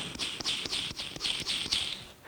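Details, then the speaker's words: Old cleaned three-phase lathe motor ball bearing spun by hand, giving dry, gritty rasping like sandpaper: worn and rough, so it was replaced with new bearings that run quiet and smooth. "this one's a little bit worse but uh you know it sounds like there's a little bit of sand paper in there they just don't sound that great these have been cleaned out"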